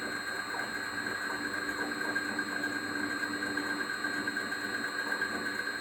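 A steady high whine with a faint fluttering chirp rides over the running engine, pointing to a noisy belt pulley.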